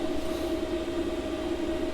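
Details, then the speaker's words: Chinese diesel heater (cheap, fitted in camper van, new and burning off production oil smell), set to 15 degrees with cabin at 16: steady even fan whine over soft low rumble as the pump and motor slow down; normal running. "starting to calm down and it's starting to slide down so that's nice there you can hear it just slowing down that the pump the motor is just slowing down"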